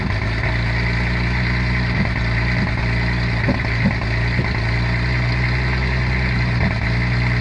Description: Only misfires on cold starts, but I cannot figure out what else could be causing this